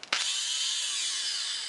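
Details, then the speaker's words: Polaris 400 ATV starter motor, cleaned with worn but usable brushes, bench-tested on a battery: sharp click then steady high whir holding pitch and slowly fading; starter spins freely, longevity uncertain. "Oh, it actually runs."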